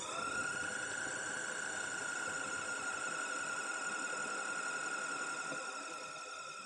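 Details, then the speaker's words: Gas boiler fan run in the boiler's test mode after a successful electronic self-diagnosis: high steady whine with a slightly rough, buzzy edge that quietens as it reaches full rate; impeller suspected at first, then the fan judged likely fine. "Yeah, it's not sounding great, but that's might just be the fan itself, the impeller. Oh look, it's quieting down now."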